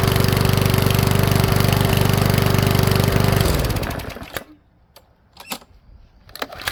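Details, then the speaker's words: Powersmart 170 mower that is hard to pull: it won't start without priming the bulb, then runs briefly and dies with popping. Valve clearance is suspected; the owner plans to back the valves off slightly. "all right so it doesn't start on its own very good uh prime it and it does obviously you hear that popping sound"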